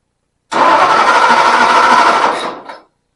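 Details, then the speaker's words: Ford 272 Y-block V8 first start, rebuilt Holley carburetor with bowls filled by hand from a soda bottle, no coolant: catches, runs roughly about two seconds, then fades and stalls; fuel delivery problem, fuel pump still needed. "Guys, uh, we're having fuel delivery issues. I ain't got no gas."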